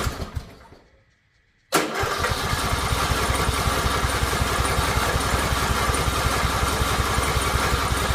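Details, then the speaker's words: Riding lawn mower in park with choke set: slow steady starter chugging about three pulses a second, engine never catches; cranks but won't start, cause unknown, and it stops the moment the key is released. "It's just not catching. It's acting like a like it wants to, but it's just not it's not catching. And I don't know why."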